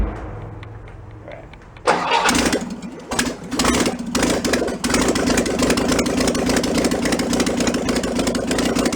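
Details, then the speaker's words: 1966 VW Bus flat-four engine from a barn, running on fuel poured into the carburetor, choke on: cranks, catches after stumbles, then holds a high busy idle; carburetor throttle sticking, not returning. "the car was kind of sticking to it's not return it step it up it's got a stepper on this is as the choke warms up it turns itself off and the idle comes down lower and lower"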